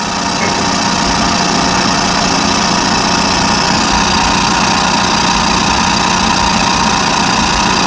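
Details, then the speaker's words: Trailer electric brake drum being resurfaced on a lathe: steady motor drone with rough chattering cut pulsing about three times a second as the tool passes the rough area by the lugs; interrupted cut. "that that's where we're in by the lugs that's why it's making that noise"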